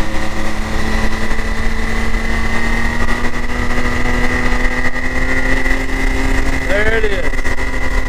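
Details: 2022 Can-Am X3 DS Turbo 120 with the stock primary clutch: a high, steady engine drone near 5100 rpm with a light metallic chatter riding on it. The rattle is gone after a PDrive primary install.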